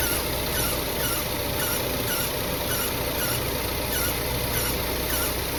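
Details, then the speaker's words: A high scraping screech pulsing with wheel rotation began after driving over a bridge. It was caused by a rock stuck between the brake dust shield and the brake rotor. "Customer said the screeching noise started up after they went over a bridge. Turned out to just be a rock stuck between the brake shield and brake rotor."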